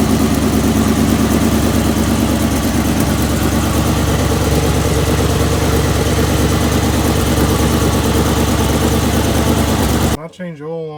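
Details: 1977 Chevy Big Ten truck with a 350 V8 and a faulty choke, on a cold start: a steady, even idle at about three beats a second with a smooth low rumble and no knocks or misses. A healthy cold idle.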